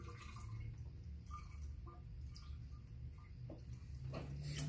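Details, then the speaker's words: Polaris 500 with a used replacement engine just installed, engine off, coolant being filled to bleed the lines against overheating: irregular gurgling and bubbling as trapped air escapes the coolant lines. "I keep filling this and if you listen closely you can hear the air gurgling out as they do this"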